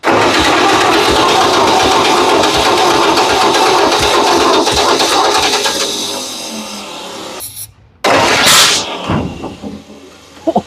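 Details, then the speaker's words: Ford 8N tractor first start attempt with new carburetor fitted and fuel leaks: rough uneven cranking and running, sudden cut-out, then one sharp pop; intake backfire from too much fuel, rich mixture. "It just backfired. What was that? It backfiring out of the intake. Because we got too much fuel in it."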